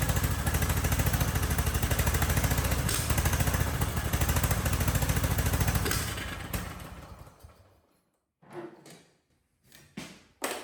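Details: Husqvarna riding mower, believed to be a 2554, barn find, airbox and intake manifold off, brake cleaner sprayed into intake: fires and runs a few seconds then dies; runs only on starting spray, gummed carburetor at fault.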